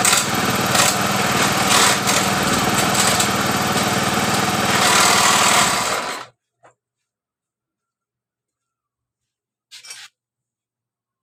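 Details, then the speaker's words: Honda Beat scooter with a total electrical failure that starts after checks of the ignition switch circuit, coil spark and CDI, then runs steady and high-pitched for about six seconds; the magneto wiring was found broken, and the rattle comes from the CVT cover. "motor ini hidup dengan normal dengan kendala di bagian perkabelan di bagian magnetnya ini dalam keadaan putus"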